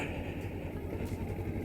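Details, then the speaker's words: Motorcycle upshifted at too low rpm: deep, slow chuffing pulses and a heavy labouring rumble under load, sounding like a tractor. Engine lugging from shifting at too low an rpm. "and that's what shifting at a too low of an RPM sounds like. Like it'll kind of start to sound like a tractor."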